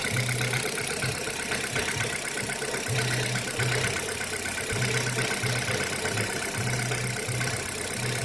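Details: Kia Rio 3, cold engine at idle: busy clatter with uneven low thumps in short bursts every second or two, engine knocking on a cold start.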